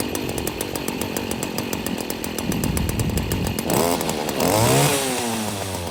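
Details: Stihl FS40C trimmer running after replacing the spark plug that caused the no-start: steady high buzz, then pitch swoops cleanly with throttle blips; normal running.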